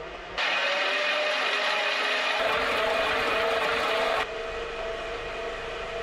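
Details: 1959 Piper Comanche 250 engine, unrun for over a decade, turning over on the starter with switches and master on: an even starter whir at about three and a half beats per second with no compression, smooth and healthy; oil pressure then rose to 50 lb.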